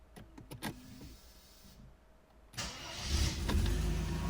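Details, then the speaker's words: Factory-original key start of a Mercedes W124 with M103 petrol engine: a few key and interior clicks, then it fires within a third of a second and settles into a steady idle; starts instantly cold or hot, healthy quick start. "How awesome is that? That just leaves my M104s for shame. It just starts instantly every time, cold or hot. Within a third of a second it's running."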